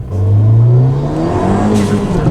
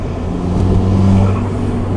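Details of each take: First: Ford Fiesta ST on E85, after a new part and thermostat were installed. Revving gives a thin, tinny, raspy edge over the exhaust note; owner suspects the motor mount is not doing well, cause not confirmed. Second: Ford Fiesta ST on E85, after installing a new part in prep for a hybrid turbo. Short rev with a deep, smooth exhaust note that climbs and settles cleanly, no rattles or misfires.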